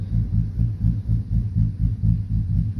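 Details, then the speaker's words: 2012 Silverado V8 with a bigger cam and a Circle D converter, after an idle tune. It briefly bogged when the AC compressor kicked on; now a steady, even thump-thump lope about four beats a second: healthy choppy big-cam idle. "now it's just steady with that potato potato potato potato potato"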